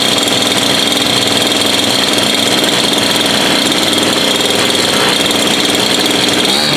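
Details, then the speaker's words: Bush cutter (weed eater) small two-stroke after repair: dirty spark plug cleaned, no fuel found, filter opened and blockage removed; first start after priming the pump and using choke. Loud, steady high buzz at constant speed, no stumbles or misses; running cleanly, fixed. "and that's it fixed running everyone service running and it's as easy as that"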